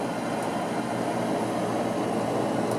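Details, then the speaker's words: Trane gas furnace converted from propane to natural gas, startup: draft inducer motor running smoothly, steady even rushing whir with faint hum, no rattle or scraping, before pressure switch closes. "There's the inducer motor started. Pressure switch should close."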